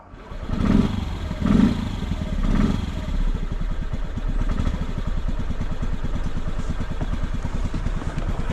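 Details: 2007 Honda Metropolitan 50cc scooter after carburetor cleaning, low-power fix (previously ~35 mph max), weak battery needing jump start: throttle blips then steady even putter about twenty beats a second, no hunting; idle speed now correct.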